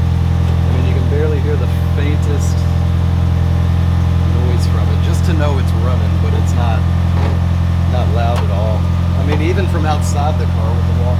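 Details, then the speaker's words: 1991 Eagle Talon four-cylinder idling after a new Deatschwerks fuel pump install, readings fluctuating 14.6–15.2 as normal, no fuel leaks: steady, low, even idle hum with no pump whine standing out, much quieter than the old pump. "so yeah now it's idling between 14 6 and 15 2 just fluctuating like normal so that's awesome"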